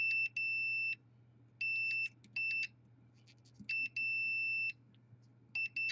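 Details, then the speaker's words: Modem-router combo opened after a lightning surge that killed a PS4: high piercing multimeter continuity beeps in uneven bursts as probes touch; indicates a short still present under the processor. "we also a surge on a separate line that has resulted in a short underneath at the processor so what we want to do next is probably to look at whether or not you have any shorts"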